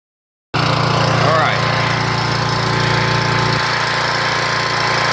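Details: 1997 3000-watt portable generator, after carburetor replacement, primed: catches and settles into a smooth, even drone, no hunting or misses, output 117-120 volts; runs properly.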